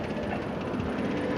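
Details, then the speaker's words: 2007 Nissan Maxima 3.5L QR35DE, CVT, 172,640 miles, no check engine light: quick uneven clackety metallic rattle at idle that goes away with higher rpm; owner suspects tensioner giving up and timing chain slapping the cover. "get the RPMs up the noise goes away but you can hear that little clackety-clack that sounds to me like the tension is just giving up and the chain is probably slapping against the case"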